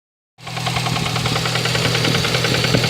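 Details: Lada Kalina engine at idle with a sharp, regular ticking knock of about three per second riding over the running engine; internal engine knock before repair, cause not yet known.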